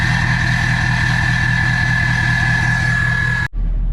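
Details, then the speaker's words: King Ranch diesel truck, first startup after a new No Limit Fab turbo, S&S DCR conversion and GDP piping, nearly at operating temperature with no leaks: steady idle with a clean, even turbo whistle and no hiss or misses; healthy. "we're just about up to operating temp and so far so good so I don't want to jinx it but I think we can consider this as a success so far that sounds so good I'm so stoked on this"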